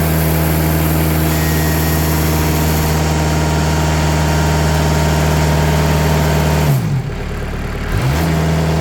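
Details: Sawmill engine after 80 mil sound-deadening mat is applied to the doors: steady even hum with no audible rattle, even though the door panel still visibly vibrates; quieter normal running.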